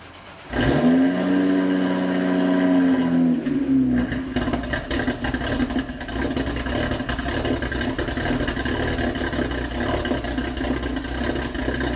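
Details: BMW N54 turbo petrol cold start: catches, flares, then idles rough and lumpy with smoking exhaust. Codes 2AAF, 29F2, 29DC; a failing high pressure fuel pump was the cause, fixed by replacing it.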